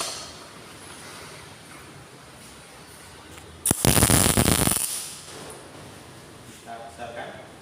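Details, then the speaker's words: GMAW MIG/MAG welding set with wire feed speed too high: short, harsh crackling arc with choppy knocking/impact bursts as the wire stubs, giving a higher bead and more deposit consumption. "dan secara suara tadi suaranya seperti ada ketukan-ketukan atau benturan. Yang sebelah ini wire terlalu cepat."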